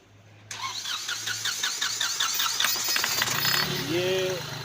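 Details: Hyundai Xcent diesel with knocking, hard starting, black smoke and low pickup: cranks and catches, then rapid uneven sharp knocking over idle at start; diesel knock from jammed, leaking injector nozzles.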